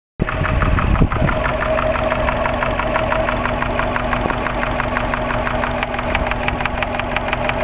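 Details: Subaru Impreza EJ20 at idle, 30 psi oil pressure: sharp regular tapping about ten per second, loudest at top of passenger-side head above cylinder one; intermittent, appeared right after startup, no metal in drained oil; cause unknown.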